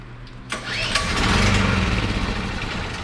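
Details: Generator unused for a while, started on propane during a pre-hurricane check; a sharp catch at half a second, then the small engine settles into a steady, even run with no misses or knocking: normal start and run.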